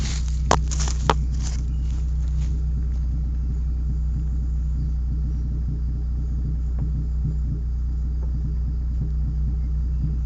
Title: Exhaust leak Rover 213 SE